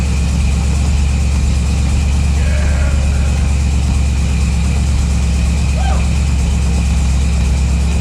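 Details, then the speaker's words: Chevy Nova with a new 408ci small-block V8, first fire-up: steady, even low rumble with no knocks, misses or rattles. Fresh engine idles smoothly. "well guys there you have it she fired up and ran that's what we wanted to do we accomplished our goal"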